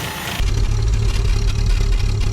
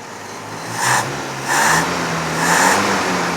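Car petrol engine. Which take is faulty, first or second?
first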